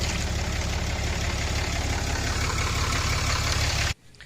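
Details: 2014 Ram Cummins diesel after aftermarket VGT turbo actuator replacement, warming up: even, steady idle clatter, then shut off near four seconds; sounds healthy.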